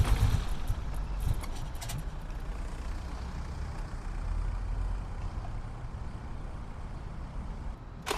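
Cranks and catches, then settles into a lumpy, uneven cold idle with a stumbling beat, consistent with a cold-start misfire.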